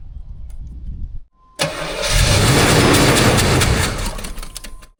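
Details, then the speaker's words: 1984 Monte Carlo SS V8, sitting untouched in a barn for years: short cranking whir, then it catches roughly for about three seconds and dies. Starving for fuel; the line from the tank was found dry. "It definitely wants to run. I've just got to get fuel up here from the fuel tank. It tried a little harder that time to start."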